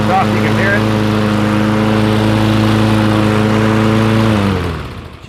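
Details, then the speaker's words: Toro Recycler mower with Briggs Quantum engine that sat about a year and wouldn't start: after carburetor cleaning, it starts on the first pull and holds a steady, even drone with no misses or surging, then winds down at shutoff. Normal running. "sounds pretty good and she starts right up."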